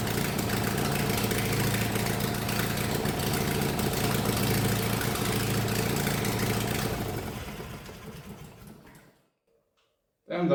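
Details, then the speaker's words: 1999 Murray lawn tractor small twin, first run in 3–5 years after a carburetor rebuild, exhaust and air filter removed: harsh, very loud open-pipe bark, steady for several seconds then dying away. "was loud. Next up, I will install the exhaust again."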